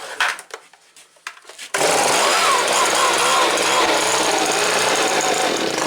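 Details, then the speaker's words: Stihl SH86C blower, first start after complete rebuild with aftermarket coil: pops and coughs, then loud buzzing two-stroke roar wavering unevenly; owner suspects carburetor needs rebuild as purge bulb sprays gas into it. "the carburetor is probably gonna need rebuilt because every time I push that purge bulb you can hear gas spray into the carburetor"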